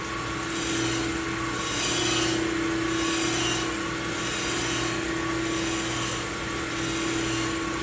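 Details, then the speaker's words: Plunge grinding a Ford 460 crankshaft journal, which was about one and a half out of round, to make a smooth spot for the steady rest. A continuous hissing sizzle with a steady tone, pulsing as the journal turns: the stone is in full contact. "i don't know if you can hear that start to sizzle is getting close there she goes right there"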